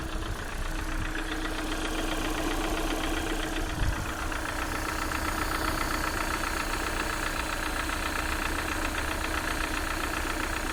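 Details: Lada Priora at steady idle: a light, fast, even ticking of about four per second rides over the engine, from noisy hydraulic lifters.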